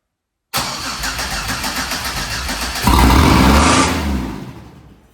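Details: Pontiac Fiero with a swapped 3800 engine, first start after reseating the wiring connectors: the starter turns evenly about 2.5 times per second, then the engine fires, revs up and runs cleanly; normal start.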